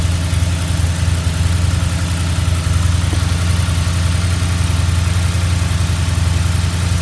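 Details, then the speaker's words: Mustang GT V8 idling after a bearing replacement to cure its knocking, with the oil pan and pickup cleaned; deep, even idle with no knock underneath; the motor sounds good, though the radiator leaks water. "So, this will be the end of the video. The motor sounds good."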